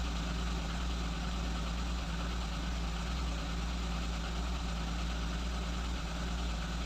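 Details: Lada Kalina 8-valve engine idling on LPG and petrol, microphone on the engine: low, lumpy, uneven idle with slight hunting, 880–920 rpm, lean mixture, wandering ignition timing; misfiring.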